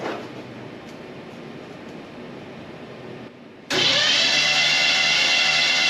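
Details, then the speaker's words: Small-block Chevy V8 (305) in a '57 Bel Air restomod, first crank: steady labored cranking drone that never catches; the starter sounds like it's struggling, possibly worn, while oil pressure builds. "excuse me I'm Gonna Keep cranking for too long but it sounds like that starter is struggling but we're getting oil pressure"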